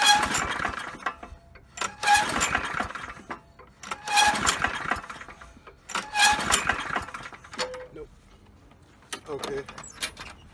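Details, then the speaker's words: Poulan Pro lawn mower, sat unused: repeated recoil pulls every two seconds, each a whirring crank with no pop, sputter or smoke; spark plug gap checked fine. "but it's not even attempting to fire no sputter no smoke coming out so we're gonna check the spark plug see if we got a good Gap and if we got a decent Gap we're going to swap the plug"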